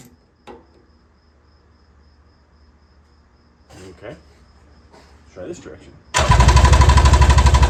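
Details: Carbureted two-stroke engine in a budget 7' mini jet boat, first start ever, on the reserve fuel setting; quiet handling, then it catches and jumps straight to a loud, high buzzing rev instead of settling, with lots of smoke: over-revving on start.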